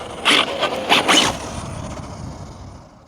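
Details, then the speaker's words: 1/7 scale RC NASCAR truck after rear diff (fixed spool) replacement: a few harsh gritty bursts as the drive loads up, then the motor winds down; drivetrain binding noise, cause not yet found. "Right, I'm going to talk about what I've done um in a minute, but as you can hear, something is binding up."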